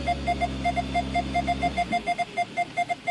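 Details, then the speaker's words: Mini Cooper rear backup parking sensor, recorded inside the car while reversing in the rain after the bumper and added backup sensors were refitted; a clear mid-pitched beep repeats about three times a second and quickens closer, sensor working normally. "okay you hear the beeping backup sensor should change there you go beats up a little bit more"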